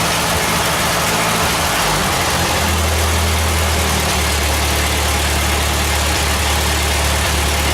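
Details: Ford 8N tractor just reassembled, carburetor fresh out of the box and unadjusted: old four-cylinder settles into a low, steady chug after a rough first few seconds; runs well, though some funny noise at the front.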